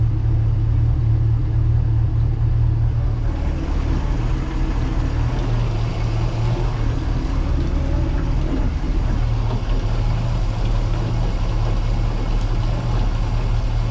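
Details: Port engine of a twin-engine project boat on first start-up after new batteries: deep, even rumble picking up smoothly when revved with no knocks; sounds good, while the starboard engine likely has a rod knock.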